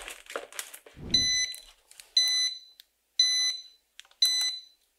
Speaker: Báo động của chúng ta đã bật, vì nhiệt độ trong tủ lạnh 221 độ vượt quá mức đã cài đặt.